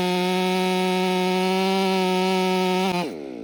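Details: Ported Stihl MS500i (Empire Workshop) on a 32-inch bar with an unmodified MaxFlow plug-and-play air filter holds a strong, steady high buzz through the whole cut, then winds down cleanly; healthy saw pulling strongly.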